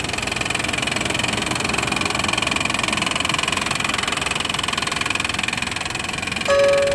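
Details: 1995 Honda Passport (rebadged Isuzu Rodeo) 3.2 V6: fast steady tapping at idle, three or four a second, over a clattery engine, ongoing for a while; owner suspected exhaust leak but fears worse.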